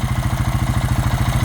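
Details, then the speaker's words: 2000 Honda Rancher idling, sound heard at open dipstick/oil filler: rhythmic strong low chuffing pulses; owner suspects heavy blow-by from a worn-out engine, crankcase breather confirmed clear, shifter oil seal also being blown out. "Seems like there's a lot of excess blow by. Crankcase breather is free."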